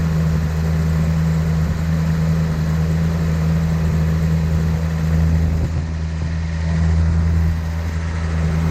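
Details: 1972 Datsun 240Z, sitting since 1995 and being revived, with SU carbs and a primed fuel system; it previously ran poorly. Even, low, steady idle with a stable beat and no misses, knocks or ticks; it seems to be running smoothly.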